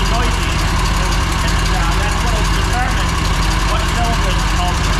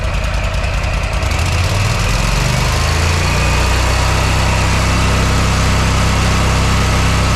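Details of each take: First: Mower that made a racket and lost power while mowing. Loud steady low idle with a fast sewing-machine clatter on top, louder on one cylinder under a stethoscope: valve ticking. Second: Repaired mower engine, tachometer on spark plug wire reads about 3,840 RPM at no load against a 3,750–3,800 target: climbs quickly, then holds a steady even drone with no hunting or knocks; normal no-load speed.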